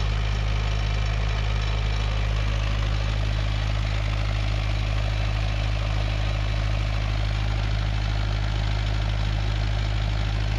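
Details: Perkins naturally aspirated diesel 20 kVA generator set with Leroy Somer alternator, bi-fuel (diesel plus recycled vegetable oil), during servicing. Steady, even low thrum at constant speed, about four beats a second, with no knocks or misses: normal running.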